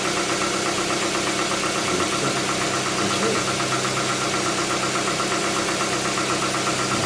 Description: Tucson 2.0 16 v gls 2007 com barulho no motor, quando liga de manhã faz o barulho, quando anda uns 10 km some o barulho o mecânico me disse que é tuxos ainda nao tenho certeza mas gostaria de uma opnião de mais profissionais antes de gastar dinheiro.